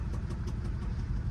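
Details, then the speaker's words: Duramax diesel truck listed as a no-start, started with a jump pack, runs a rough heavy idle with a sharp tap about six times a second and no smoke; engine knocking, cause unknown. "it sounds like it's knocking oh yeah oh man that's cool that we got it started it is listed as a no start"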